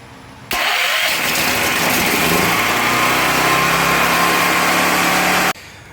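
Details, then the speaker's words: Powerhorse 9000ES generator with new battery and cables: key switch gives nothing, but bridging the starter with a screwdriver spins the engine steadily for about five seconds; starter good, solenoid diagnosed bad. "i'm not getting anything from the switch but when i jump the starter with a screwdriver"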